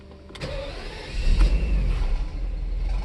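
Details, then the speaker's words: 1994 Mercedes SL600 V12, first start after battery recharge, in limp mode with ASR light lit: short crank, then a late catch surging into a rough, uneven low rumble. It barely started and feels like it's running on 6 cylinders. "Feels like it's running on 6. That's what it feels like. It barely started, to be honest with you."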